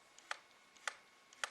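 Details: Sony HVR-Z1 camcorder lens: three sharp metal-on-metal clicks as the zoom hits full zoom-out. The end stop is missing its padding, probably foam. Cause suspected, not confirmed.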